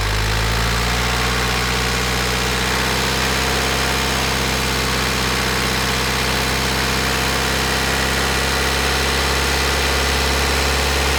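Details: Diesel engine with piezo injectors, warm at 87 °C, revved to 1,500–2,000 rpm, microphone placed at the engine: steady run with even, light injector tick whose timing follows engine speed; normal injector sound, nothing wrong.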